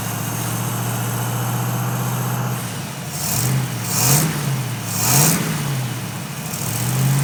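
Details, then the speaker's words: 1931 Ford pickup with tri-power carbs after ignition and carburetor repair; compression was checked. A steady idle, then three clean throttle blips that rise and drop back smoothly. It sounds a lot better and healthy. "That sounds good. A lot better."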